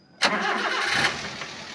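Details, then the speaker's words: 2012 Daihatsu Granmax 1.5 pickup, quick crank and clean start into a smooth steady idle with no knocking or metallic clatter; engine sounds healthy. "ini suara mesin dalam kondisi stasioner suaranya masih aman masih cukup oke enggak ada suara ngelitik enggak ada suara metal kena"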